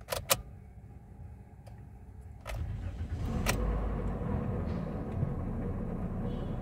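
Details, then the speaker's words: Toyota Sienta with customer complaint of rough engine sound, oil pressure light off: engine starts, then idles with a coarse gritty drone under the combustion beat; suspected worn water pump bearing. "untuk kondisi itu terdengar memang suara mesinnya Kasar banget ya Ada suara kasar di area mesin"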